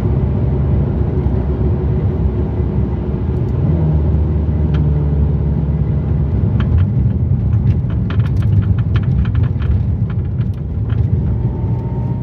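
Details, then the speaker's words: Ferrari 430 driving on the road, with no carpet or stereo so noise is amplified: constant sharp, irregular clunking knocks over the road drone. A long-standing suspension clunk that a dealer's repeated repair attempts failed to fix. "hear that clunking noise that was constant that was all the time and because the car has no carpet or anything in it that noise is amplified"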